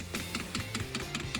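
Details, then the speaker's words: Vauxhall Movano camper diesel heater powered up after replacing a damaged leaking fuel pipe: crisp, even pump clicks about five a second, over background music; normal priming, no leaks so far. "So, all we're going to do now, we're going to power it up and prime it. As you can hear, just priming it a minute."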